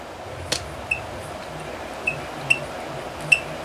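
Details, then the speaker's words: Cox Golden Bee 1/2A model engine, made between 1958 and 1980, flipped over by hand with good compression: sharp, high, brief squeaks with each flip over a quiet room; cause unclear. "so I thought because it looks so nice and listen to this it's got good compression but I want you Cox aficionados to hear this"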